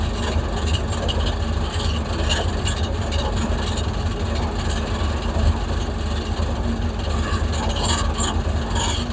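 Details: Hemi Plymouth Duster after a new alternator was fitted, charging at 14.8–14.9 V with the battery partly dead: smooth, even V8 idle with a steady low rumble and no knocks, misses or whine. The engine idles normally.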